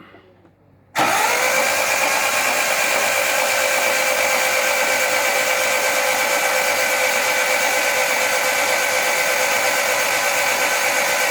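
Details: Vauxhall Firenza HPF Lotus conversion before first start, spark plugs out, cranking to prime oil (CRC still pumping from plug ports): steady even starter whine with no compression pulses, engine spinning freely; normal cranking with plugs removed.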